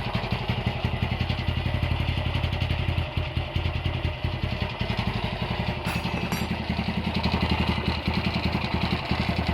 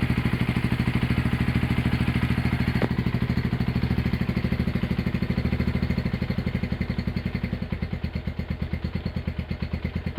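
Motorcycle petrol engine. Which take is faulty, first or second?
first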